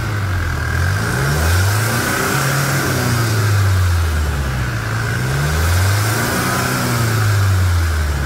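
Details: Chevrolet S10 diesel after repair of broken rocker arm in the cylinder head and engine leak: repeated revs pulling up cleanly and dropping back smoothly, no knocks or rattles; normal revving.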